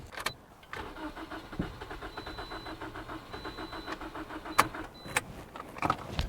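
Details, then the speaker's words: 2011 Toyota Corolla 1.8L cranking steadily at about five beats a second, with clicks between, never catching. Fuel pressure only 20–30 psi, though the pump runs: crank no start from low fuel pressure. "okay 20 what's that 20 only 20 yeah so this this is the problem guys we have found the issue the issue is uh low fuel pressure"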